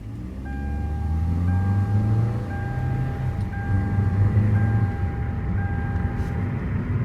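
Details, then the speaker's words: 2015 Hyundai Elantra transmission on a test drive after a replacement transmission was installed: road rumble and a repeating warning chime with the ABS and traction lights on, and the earlier whining noise is gone. Normal transmission operation. "now it drives normal so you don't hear that whining noise like you did on the first test run"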